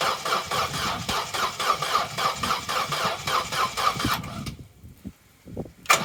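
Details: Vauxhall Corsa B that sat neglected 4-5 years, cranking after fresh fuel added: starter turns engine at sluggish four pulses a second, never fires; owner suspects weak battery, plans spark plug fuel and spark checks. Slow cranking, no start.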